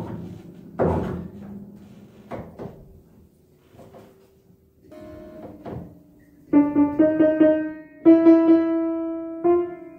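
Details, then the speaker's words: 1950s Petrof upright piano after an action service with damper adjustment: clean single notes that ring and stop cleanly on release, no key click or buzz. The dampers now engage on all strings and the click is gone. "so now the dampers are engaging on all the strings The Click is gone"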